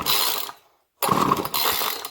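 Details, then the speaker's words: Craftsman 2-stroke string trimmer, model 358.797270, crank no start: two recoil pulls with only rope and pawl ratcheting, no firing. Plug is wet and it fires on starting fluid, so spark is good; fuel delivery fault, likely a gummed carburetor. "come on she fired something so that means it's getting spark because if it didn't get sparked it won't fire so it's not happy about some sort of fuel scenario"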